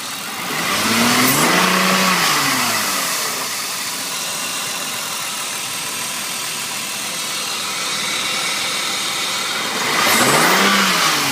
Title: E36 1996 328is hissing noise.